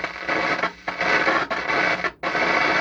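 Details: Akai AA-R40 stereo receiver with intermittent volume control: loud steady hiss and crackle with brief dropouts at zero volume, not following the volume setting; loose solder connection suspected.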